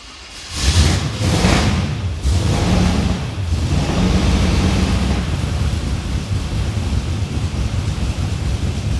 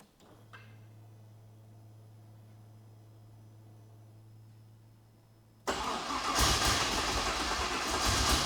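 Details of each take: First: Ute engine, no tailshaft fitted, first start after priming: cranks briefly, catches within a second, then settles into an even, steady run with no knocks or misses; it spat something unknown but runs normally. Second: Ute project car, not yet finished, first start attempt after fuel pump priming to expected pressure: quiet pump hum, then the engine cranks and fires raggedly, catching unevenly and struggling to settle; hard starting, cause not confirmed.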